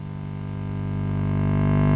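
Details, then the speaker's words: Marshall Origin 50 valve amp on the bench: a loud, steady low hum grows as it warms up and doesn't change with any control, pointing to the output or power stage. A failed smoothing electrolytic is suspected. Mains hum. "oh i can hear a hum now do not like the sound of that horrible that's a really loud hum"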